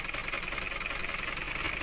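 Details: Diesel car at idle: fast, even tapping rides on a rough idle and stays steady without revving. The sound has persisted for almost a month, and the suspected cause is a broken piston ring.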